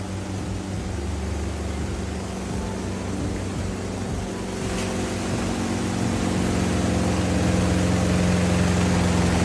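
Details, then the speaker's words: Samsung washing machine on spin with clothes loaded under a cover; heavy, steady roar and hum growing louder through about 10 minutes of spin, sounding like a generator; abnormal spin noise, cause not found. "देखिए आवाज बढ़ रहा है। ये हो क्या रहा है गाइस? भाई ये वॉशिंग मशीन नहीं, जनरेटर है।"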